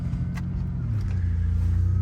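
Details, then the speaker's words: 1988 Ford Ranger after the stainless muffler repair (new bolts; muffler fell off, pipe cracked at the muffler inlet): deep, even exhaust rumble pulling away on a slippery road, no rasp or blowing, much quieter though seems less powerful; still leaking near the catalytic converter. "Oh man, that one doesn't sound like it has near as much power as it used to. Oh well, at least I can hear myself think now. That is so much nicer."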